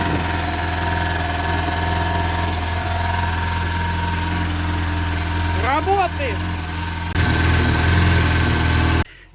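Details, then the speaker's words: VAZ "Zhiga" (shestyorka) just started after its discharged battery was recharged: steady idle drone with a faint irregular tapping, a strange noise of unknown source. Oil level is fine. "то очень непонятный звук происходит и знают куда но этот звук очень какой-то странноватый такой"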